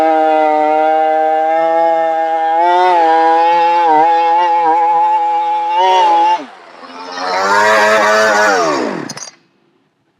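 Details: Brand-new two-stroke chainsaw, before cleaning and switching to Cerma products; high scream that sags and wavers under load, drops off and struggles back up, bogging down quite a bit.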